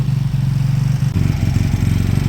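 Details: Beaten-up old Lexmoto motorcycle, many parts missing, idling after revival; steady, low, even putter with regular firing and no knocks or rattles. Fuel then turned off, engine judged great, needing only new oil and a small service. Normal idle.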